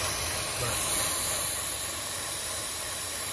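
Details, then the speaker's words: 2014 Chevy Cruze idling rough with codes P0171, P0106, P1101, valve cover removed: steady airy hiss of air sucked past a leaking PCV valve in the valve cover, causing internal vacuum leak; covering it stabilizes the engine. "and they can cause an internal vacuum leak look at this how much is shaking this can cause an internal vacuum in"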